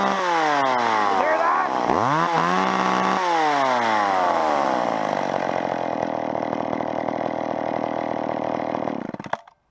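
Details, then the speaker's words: Old McCulloch chainsaw held wide open while the high-speed carburetor mixture screw is adjusted: screaming two-stroke note whose pitch climbs and dips; still has room to go up but should not be set too high. "you hear that how it's sung up there it's got room to go up you don't want to take it too high"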